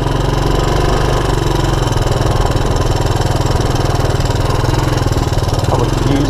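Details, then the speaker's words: 1984 Honda ATC200ES Big Red single-cylinder ATV after a 12-volt DC CDI ignition upgrade for a no-spark fault, started a little cold and idling to warm up; steady, even putter at about four pulses a second, normal warm-up idle. "let it warm up a little bit before i go too crazy"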